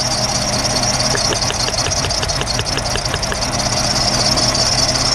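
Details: A 2008 VW Jetta petrol engine idles roughly with a fast light ticking; spark plugs were already replaced, compression was even, and swapping coils and then injectors traced the cylinder 2 misfire to a faulty injector.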